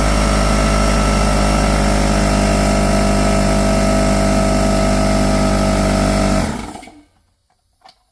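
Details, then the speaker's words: Ultra-quiet 2-gallon compressor running: steady even motor-and-piston hum with a low pulsing beat, slightly louder the first ~5 seconds then much quieter, no knocks or squeals, shuts off cleanly; normal running. "okay this thing is insanely quiet okay for the first like 5 Seconds that it's running it's slightly louder but after about 5 Seconds it really quiets down quite a bit okay"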